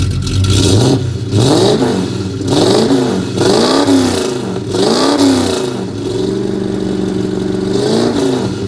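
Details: Ford F-250 running again after repair, revving through several blips with a rough puffing rattle riding on the exhaust note; one remaining exhaust leak still to fix.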